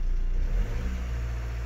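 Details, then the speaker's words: VW group TDI PD diesel after white smoke fix by checking torsion value, still hot: deep drone settling smoothly from a rev toward idle, even with no shake or knock; no smoke, previous heavy vibration gone. "but it seems good no smoke whatsoever and this sounds beautiful"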